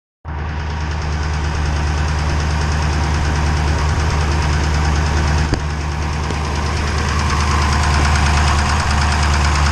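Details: 392 V8 with 1400 miles at steady idle, hard regular ticking knock about three a second over a deep rumble, sounding like a Cummins diesel; engine knock, cause suspected but not confirmed.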